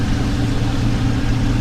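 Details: Hoshizaki ice machine after reset (hold reset button two to three seconds to stop beeping): low, steady hum with no knocking or rattles, running evenly; normal operation.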